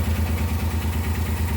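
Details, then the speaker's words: Suzuki Carry multicab engine with the intake manifold vacuum line to the brake booster (hydrovac) left open: low lumpy idle with a shaking pulse and slight clatter, engine vibrating; rough idle from vacuum leak. "Pero nanginginig yung under ng ating makina. Kung titingnan natin dito, ito yung vacuum nya, oh."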